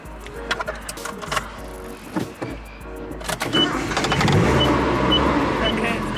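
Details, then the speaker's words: 1986 Nissan Sunrader camper with its second replacement Z24 engine, just collected from the mechanic: some clatter, then the engine catches about 3.5 seconds in and settles into a steady, even run; it starts and runs normally. "okay I'm picking the camper back up it runs"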